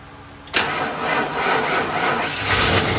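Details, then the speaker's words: 1993 Ford Bronco with newly installed engine, first start before coolant fully topped off: catches at once and settles into an even idle, no taps or knocks, lifters/rocker arms seem properly adjusted; timing possibly slightly off. "idling on her own. Nothing spewing out. I don't hear any taps or knocks. Sounds like the lifters or the rocker arms are probably adjusted properly."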